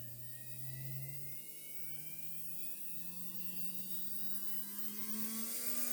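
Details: Heljan Class 23 model locomotive motor, removed and bench-tested on a test circuit with an ammeter while investigating slow, clunky running. Clean whir climbing in pitch as it speeds up, no rasp or stutter. Motor shows no sign of failing.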